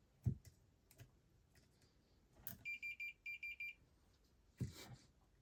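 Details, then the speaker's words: Relay from a Whirlpool dryer control board (F1 error) energized with a 9V battery, it clicks and the meter beeps quickly for continuity across the contacts: the relay contacts close normally. "we just needed to double check that it's when it's clicks the it's continuity between these two. H when it's off and you can hear the click too."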